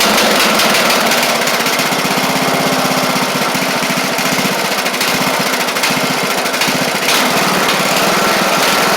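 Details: Craftsman LT1000 mower with Briggs Intek engine, run after head work (push rods not bent): ran okay until higher speeds, then a rough, blubbery beat like running very rich. A bad carb or mixture screw out too far is suspected.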